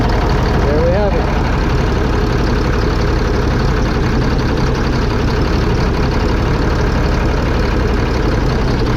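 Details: 2005 Fleetwood Discovery motorhome, Freightliner chassis, Caterpillar C7 diesel, after replacing bad injectors on cylinders 5 and 6: steady, even idle with regular beat, no misfire or knock; all six cylinders working.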